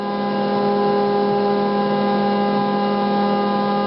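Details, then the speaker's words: Stepper motor on a Gecko G540 drive after trim-pot tuning by ear: steady even hum holding one low pitch without buzzing or rough pulsing; motor running as quiet as possible, well tuned. "so you get it as quiet as you can get it and that's when you know you have it when you get the motor running as quiet as possible and that's what they say do it by ear"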